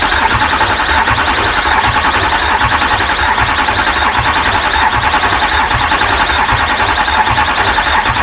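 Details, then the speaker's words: Duramax diesel engine bought from the U.S., first start attempt after install: steady fast starter cranking with even chug about once a second, engine never catches; crank-no-start, starter being rested. "oh yeah we started to get some uh do you want to let the starter cool down a bit"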